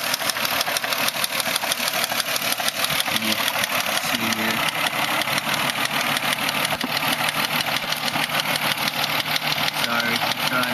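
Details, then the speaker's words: 2005 Mazda 6 3.0 V6 Duratec, oil just changed, no leaks: sharp patterned tick about three a second at idle and revving to 2000–2500 rpm, coming from the engine; cause unknown, owner wonders about valves. "it's not like a constant tick It's like got like a pattern to it but it's coming from in here"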